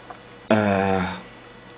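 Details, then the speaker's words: 9 V max DC motor driven from Arduino Mega 2560 5 V through NPN transistor, no diode fitted; short buzzing hum under a second without spin-up, motor energized but stalled, not turning. "as soon as i connect it I hear the motor"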